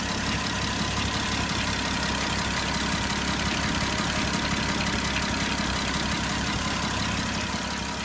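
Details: Porsche Cayenne 957 3.6 FSI V6 at idle: rough metallic timing-chain grinding on the left side of the engine and quick FSI injector ticking/knocking on the right side.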